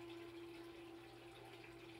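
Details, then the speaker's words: 3/4 hp sump pump air-locked by air bubbles trapped underneath: steady mid-pitched motor hum with water gurgling; it runs but moves water slowly until the water's weight pushes the bubbles through, then speeds up somewhat. "when the weight of the water gets to be great enough then it'll push the air bubbles through and the pump will speed up it still won't pump really fast but it'll speed up enough to empty the empty most of the water"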